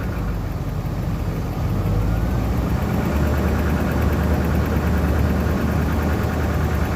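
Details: 1997 BMW 540i E39 V8 at a steady idle with a loose, irregular metallic rattle over the low rumble; engine rattle, source not pinned down.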